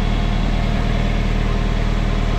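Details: Nissan KA24DE engine in a 300ZX project with a newly fabricated, quieter dual-exit exhaust, heard near the joint while checking for leaks. Steady, even low rumble with a smooth firing beat, no puffing or ticking; healthy idle, no exhaust leak found.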